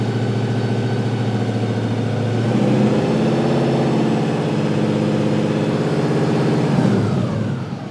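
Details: 1955 Chevy Napco clone, rebuilt automatic (believed Turbo 350) assembled from several transmissions with a replacement output shaft, fluid topped up and no leaks: revs climb and hold with no drop, so it isn't upshifting; something sounds wrong underneath, cause unconfirmed.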